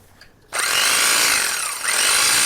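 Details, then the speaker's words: Black and Decker 8100 hedge trimmer after being dismantled, cleaned, lubricated and reassembled, with the blades oiled: switches on into a steady high buzz with smooth, even blade chatter and no knocks or grinding, quieter than before servicing. "Sounds good. It actually sounds quieter than it did before. Nice."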